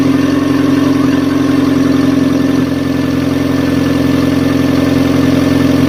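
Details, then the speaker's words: Fiat Stilo with replacement engine, first start after redoing the timing belt, which had caused poor idle: smooth, even idle with a steady low hum, no misses, ticks or knocks; runs perfectly. "it on guys it's a runner wo I told you guys the sun is shining and it started to shine for me also it runs perfect finally it was the timing and it was not something like the engine or whatever uh the engine is fine first start and it starts"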